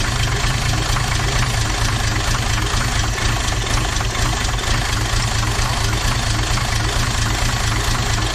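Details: Toyota 2H turbo diesel in a Jeep idling with a heavy, uneven knock about twice a second. Cracking the injector lines changed the back five cylinders but not the front one, so the fault is in number one cylinder.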